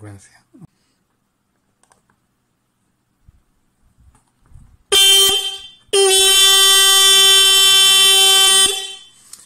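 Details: Electromagnetic car horn in a bench-built horn circuit for diagnosis: two loud blasts of a steady, buzzy, even tone, one short and one about three seconds, with no warble or dropout. Normal horn operation.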